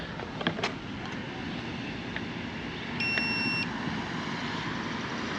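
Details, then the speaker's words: Hover-1 Alpha (H1-ALPHA-BLK) electric scooter powered on after throttle replacement fixed the E2 throttle error. One clean high beep of about half a second over faint street noise, no extra error beep; normal startup. "Okay, so now you're not getting that error and that extra beep when I turn it on. So yeah, right, great stuff."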